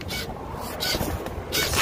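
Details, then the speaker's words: 2012 Ford Focus DPS6 dual-clutch transmission with new TCM, code clutch A stuck engaged, won't engage drive or reverse: irregular scraping and clattering bursts over running engine, from transmission, not throttle body; transmission noise. "something's going on in there it's not the throttle body it's in the transmission that noise"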